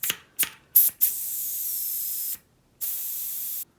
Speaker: So the other way you can tell is the tire doesn't want to take air. The valve won't let the air through when you try and pump it up.